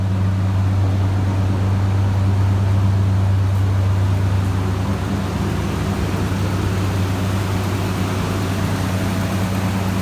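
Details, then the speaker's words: 1964 Chrysler New Yorker 2-door V8 with a slightly sticky thermostat, idling after exhaust leak repair: steady, deep, even rumble, leak faintly audible still, expected to fade when warm; normal idle. "Well, this looks sounds nice, eh? They really cleaned up that exhaust leak,"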